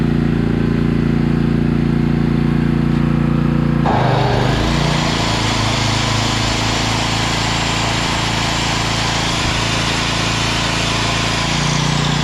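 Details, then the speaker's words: Coleman Powermate 5000 W generator after cleaning, fresh fuel, new spark plug, oil change and throttle spring adjustment: even drone stepping up to a steady roar without hunting or missing; running properly, voltage raised from about 80 to 120. "okay so that was a pretty easy fix on this guy we just cleaned it up a little bit put some good fuel in it changed the spark plug out changed the oil and i just adjusted that"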